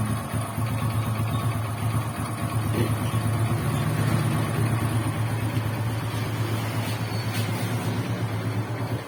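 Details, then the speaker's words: Freshly assembled Honda XRM125 single after engine rebuild, before break-in: steady, even low rumble with no knocking or rattle throughout; the earlier grinding noise is gone and it runs smoothly. "So ngayon, ayos na mga bro. Okay?"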